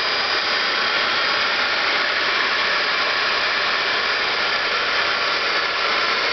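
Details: DC motor for an EV conversion, run off 12-volt AGM cells: loud steady hiss and rushing whir, no knock; still fairly noisy but much quieter than at first, as new brushes bed in against the commutator (brush seating/break-in).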